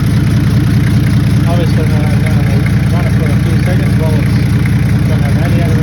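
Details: Toyota 1HZ diesel in a 75 series LandCruiser parked 12 years, first run after priming and glowing; steady, even idle clatter about two and a half beats a second, no misses or knocks; healthy normal idle.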